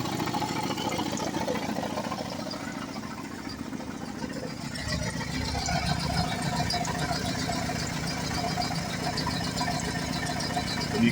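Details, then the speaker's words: 2010 Chevy Colorado project truck, original engine smoking from the tailpipe: uneven, ragged idle of about three to four pulses a second with no steady rhythm; tired, worn engine, owner suspects the piston rings are toast. "So, I'm pretty sure the the uh rings are toasting the engine."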